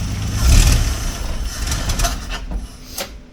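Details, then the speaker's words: 1964 Dodge D100 Utiline, still cold and not yet warmed up, just after an alternator replacement, with the amperage rising when the headlights come on. Running is lumpy, with irregular surges and dips as the revs hang: cold engine stumble. "and this thing is still cold so it's stumbling I haven't warmed it up yet"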